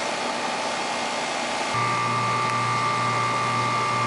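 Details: 2.5-ton air conditioner condenser after replacing noisy contactor, repairing burnt compressor wire and cleaning, superheat around 9: steady fan hush, then compressor starts with even hum, no buzz or chatter; normal running.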